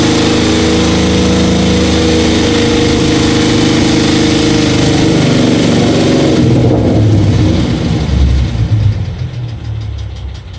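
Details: 2012 Ford Mustang 3.7 V6 petrol engine revving briefly then settling to idle, with a light, regular ticking about four times a second; cause unknown.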